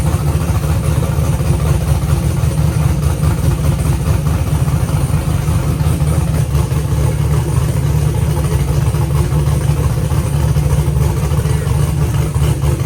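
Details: Car idling with cooling fans running after two quarts of fluid were added to a used transmission that whined on its first test drive (pump suspected); deep even idle, no whine, more responsive, owner hopes low fluid was the cause.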